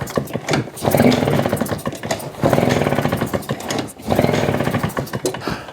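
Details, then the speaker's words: Husqvarna 150 BT backpack blower, customer-replaced fuel lines and tank grommet, reported bogging, choke on: pull-starting catches in short rough bursts then bogs and dies instead of settling; fuel starvation suspected, not yet confirmed. "All right, let's just see if she runs. They said it bogs."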